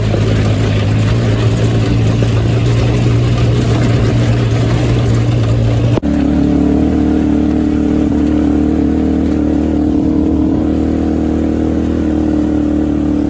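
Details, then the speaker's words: Hammerhead GTS 150 go-kart GY6 single-cylinder after a 155–160 big bore kit install, previously smoky, overheated and down on power. Smooth even drone stepping up to a higher steady rev, no misses or knocks. Normal running, much faster now. "okay so this thing's a lot faster it works a lot better now"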